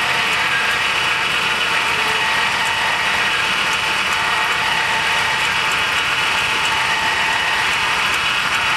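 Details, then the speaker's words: 2006 GMC with 5.3 V8, sitting about four years, no oil showing on rotted dipstick: engine idles with loud, busy metallic rattle and light ticking over a harsh exhaust note; very rattly and clunky, cause unclear. "whew does not sound too healthy boys very rattly and clunky"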